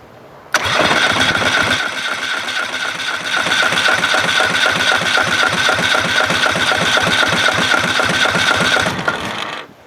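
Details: GT5000 engine cranked via starter solenoid jumped to the battery, no fuel in it yet and no spark: even starter chugging at about four compression strokes a second for nine seconds, never catching; cranks fine with compression.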